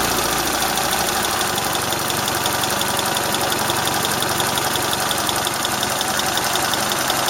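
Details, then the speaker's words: Warm engine at operating speed with strong vibration shaking the sides: a fast, loosely regular light tapping over a harsh, buzzy note; the owner asks whether a valve is tapping or the shafts are rattling, and the exhaust flex pipe leaks slightly. "То же самое, только двигатель прогрелся до рабочих оборотов. Вот вибрация аж по бокам трясется."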